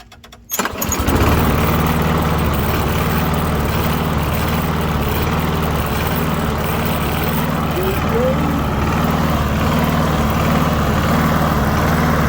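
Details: Lawn mower after a DIY fix, on the second start attempt after priming: catches after a brief pull and settles into a steady, even single-cylinder putter with no misses or surging; running healthy.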